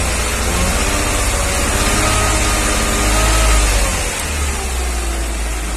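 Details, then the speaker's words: 1994 Mercedes G320, Japan import, held at fixed rpm as injectors are disconnected: light metallic tick about three to four per second; knock diminishes significantly with cylinder 2 cut; worse cold, piston knock suspected, engine to be removed. "So I noticed with number 2 injector disconnected, the knock diminishes significantly."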